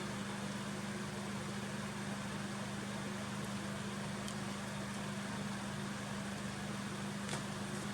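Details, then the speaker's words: Dimplex 360 Turbo 9 inch oscillating desk fan (45 W) on lowest speed 1, turned away from camera: soft steady hum and airy whoosh, no rattles or ticking; running smoothly. "So that is the lowest fan settings. That's number 1 we're on at the moment."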